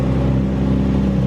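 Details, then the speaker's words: Subaru with coil-on-plug ignition, idling after reassembly to check firing order and fixed oil leaks: low, steady, even hum, no knocks, ticks or misses, barely audible and quieter each start; normal healthy idle. "It's like barely there."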